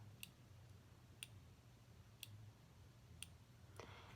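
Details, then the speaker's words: OmniPod insulin pump pod just filled with insulin and priming: faint sharp clicks about once a second, evenly spaced over a quiet low hum. Normal pod priming clicks. "okay so now that I filled the new pod with insulin it tells me to push next it Prime's it if you listen really closely you can hear this clicking"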